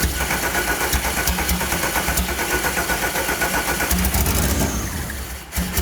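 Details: Rallygolf (VW) on first start after a 3-month rebuild with a new programmable ignition: freshly started, uneven stumbling beat at fast idle with a few revs; misfire on one cylinder, open circuit and 0 volts on injector 4.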